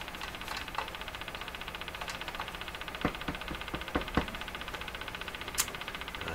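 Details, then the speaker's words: Crosley 43FB battery farm radio during alignment, on the AM band with the volume down: fast, steady ticking several per second over faint hiss; an intermittent tick has returned, source unclear. "AM band, oh my gosh, this ticking has come back. Now I remember, it was this ticking that just threw me for a loop there."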